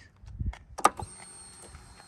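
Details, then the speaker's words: 2007 Thunder Mountain Keystone Softail chopper, 103ci Screamin Eagle Harley engine, about 1,500-1,788 miles; at key-on a click, then a thin steady whine as the fuel injection pump primes before starting, a normal prime. "Here, the fuel injection spooling up, and then let's go ahead and fire that up."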